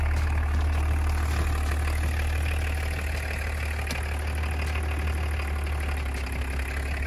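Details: Roughly 30-year-old BMW diesel idling after being revived from a no-start. Steady, even, loud low chug with no knocks or misses, running cleanly: normal idle.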